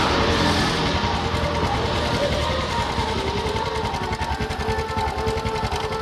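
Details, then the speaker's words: Honda Supra X 125 motorcycle with a rough noise from the front of the engine block/head, heard revving after tightening the cam chain tensioner adjuster; fast ticking rattle over idle persists; cam chain found slack and needing replacement. "Wah. Ini kayak suara kamrat teman-teman ya. Ini udah saya putar. tapi suaranya masih ada, masih bunyi. Ini kayak suara kamrat."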